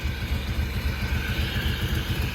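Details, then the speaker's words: Ford XR3i engine warm at 87 degrees, steady even idle after refitting a valve that had caused a large vacuum leak (blamed for earlier overheating and rough running); idle now much quieter and about 200 rpm higher, healthy. "once you put it back in it's quiet again 87 wow that is crazy huh 87 degrees it's quieter way heaps quieter i feel like it picks up like 200 rpm with that easily"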